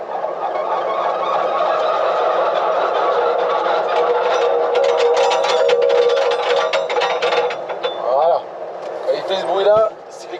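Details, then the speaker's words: Tractor flail mower shutting down, PTO stopped while the rotor shaft keeps spinning: rotor whirs down, then loose metallic clatter as the knives drop against the shaft, which is normal as it stops. "Parce que là, la prise de force s'arrête et après le broyer en lui-même, l'axe en lui-même, continue de tourner. Et on va bien voir. Parce que quand il s'arrête, il fait un bruit, on ne peut pas le rater."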